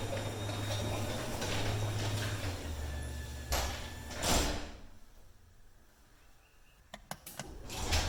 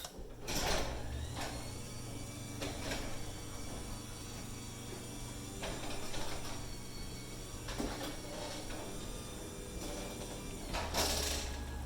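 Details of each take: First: Metal rollers on 9x7 full-view garage door before replacement: rough rumbling run with uneven clinks and clunks as the door travels, then sharp knocks as it stops; worn metal rollers rattling in metal tracks. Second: Two 9x7 full-view garage doors after replacing the standard metal rollers with XiKe rollers: the door travels up with soft rolling and only light thumps at panel joints, with no metallic clatter; much less clunky, quiet operation.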